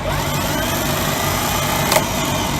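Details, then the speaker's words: Starter on test bench, battery reading 12.7 V: spins up and holds a smooth steady whir with no rattle, clanking or chatter; normal engagement, unlike a defective unit's loud clanking. "if you hear how smooth that is it does it doesn't prattle does excite anything"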